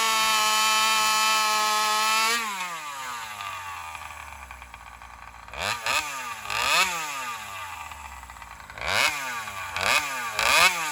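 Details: Alcohol-fuelled chainsaw cutting after a fuel line swap, camera set further back to watch the exhaust pipe. A high scream sags and stumbles through short uneven revs, bogging in the cut; owner suspects it runs lean, starving for fuel on the high-speed circuit.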